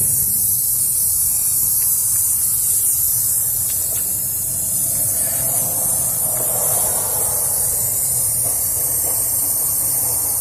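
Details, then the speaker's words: Isuzu NPR/NRR cab-over with 5.2 diesel, engine off, charge air system pressurized to about 16–18 psi with a charge air cooler test kit: steady high-pitched hiss of air leaking at a charge pipe clamp; no holes in the pipes or cooler, so EGR side is suspected. "It's leaking on that clamp right there, but it's not, there's no holes in it nowhere up here."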